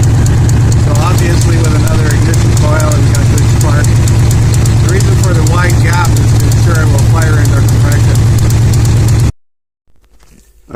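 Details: 2000 Ford F-150 5.4 V8 4x4, 115,000 km, check engine light on but not flashing: steady low idle with a regular uneven lope, about three beats a second; one cylinder not firing, dead-hole misfire; coil spark being tested.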